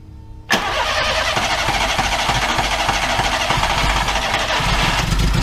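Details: 2002 VW Gol, after the rebuilt starter motor was refitted and the broken injection harness connectors (phase sensor, ignition coil, coolant temperature sensor) were dealt with: engine catches instantly on the starter and settles into a steady, even idle on all cylinders.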